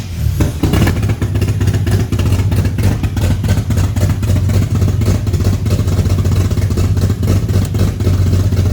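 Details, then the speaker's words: Barra-swapped GU Patrol on first runs, no exhaust fitted and smoking heavily: loud deep blatting with an uneven, stumbling beat; runs rough. Owner is checking air-fuel ratios and hopes the mixture is off and tunable, otherwise bigger issues. "So we're just gonna see air fuel ratios, because it's smoking so much. Hopefully the fuel ratio is way off. That's a good sign, because we can tune that. But if it's not that, then we got bigger issues."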